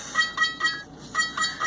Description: This started off as a mystery, but was quickly identified as an alarm coming from the Mini-0806 dash camera.